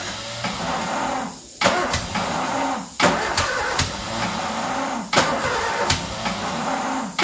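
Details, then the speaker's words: Ford Escort revived after 14 years neglected catches on starting spray and stumbles, surging and dying back between sharp bursts; rough running, not healthy, but fires up. "There we go, she fires up. She's not healthy, but she fires up."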